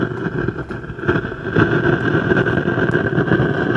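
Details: Jumbo Sub 238-BT AM/FM stereo: constant hiss with irregular crackling from speaker, persisting with source inputs disconnected; one TDA2030 bridge power amplifier IC burned, replacing both TDA2030s restored normal audio.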